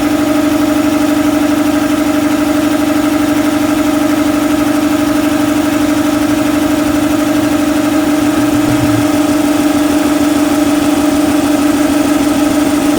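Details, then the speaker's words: Shop air compressor after belt-slippage problem (owner suspects belt tension made startups sluggish), Gates 6857 belt: steady, even hum at constant pitch with no squeal, slipping or labouring; sounds solid, normal compressor run. "all right well yard that sounded good you know and solid and didn't sound like it was laboring or anything"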